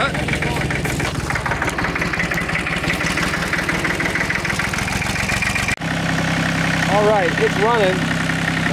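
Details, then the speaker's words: Massey Ferguson 1010 tractor diesel, 103 hours, with a newly fitted fabricated radiator that leaks a little: settles into a steady, even idle with a clean, knock-free beat; sounds healthy. "we should probably turn it off nice cracker way to do some more work with it talk to you you can hear it just humming away over here that thing has a hundred three hours"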